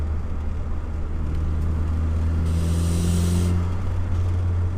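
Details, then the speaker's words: Mitsubishi Eclipse GSX turbo during tuning runs, at full boost only: deep steady engine drone under heavy load with a sharp hissing rush of about a second; cause unknown, vacuum lines checked and disconnected, boost leak test planned. "you hear that noise I don't I don't know what that is it's only one a hit full boost so it's got me confused"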